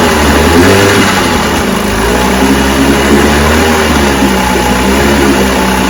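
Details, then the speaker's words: Johnson 10 HP QD-23 vintage outboard after a carburetor rebuild, bulb pumped and choked, needles starting at high speed 3/4 out and low speed 1-1/2 out, being tuned by turning them in: loud, steady two-stroke buzz with slight rises and dips as the mixture is set; it runs good. "oh man I'm telling you it's adjusted good watch it start so that's the car is rebuilt runs good"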